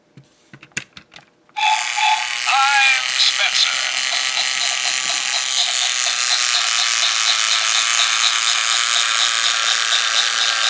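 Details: 2012 Mattel Thomas and Friends Trackmaster Talking Spencer toy train motor running with a harsh, high buzzing gear rattle pulsing about three times a second; noisy gears before repair.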